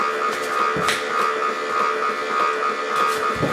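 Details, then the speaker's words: Jocuu two-speed slow masticating juicer running; steady fairly quiet mid-pitched motor hum with a few light handling knocks; normal operation. "that's totally normal I've owned several juicers ranging from one to three hundred dollars and you're always gonna hear you know you're always going to hear the grinding of the food and the food"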